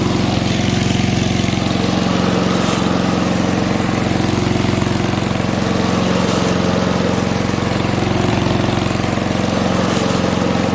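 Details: MTD 5 hp chipper/shredder, guessed 1990s-built, running after a carburetor kit: steady single-cylinder beat about three firings a second under chipping load, holding speed evenly, slow going but working; normal running.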